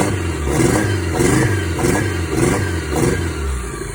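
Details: Toyota 5S-FTE engine after bearing swap to fix rod knock: revs blip up and settle about every half second, climbing cleanly with no knock; sounds healthy.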